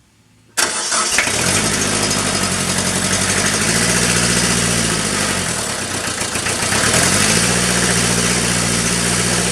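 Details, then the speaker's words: Cold Kubota B3030 diesel tractor at about 48°F, after 30-second preheat and single-point bleed at injector pump housing, started at half throttle or more: brief crank, fires right up and settles into steady, even clatter without stumbling. "I normally don't start a tractor at half throttle or Beyond like this guy here fired right up"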